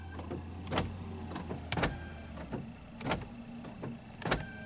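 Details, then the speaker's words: 2004 Honda Accord EX 2.4L sedan, passenger door lock operated directly from the MICU, bypassing the driver's side: several short, sharp, weak, uneven clunks as the locks cycle; failing power door lock actuator, needs replacing. "You can definitely hear that that lock needs to be replaced, the actuator."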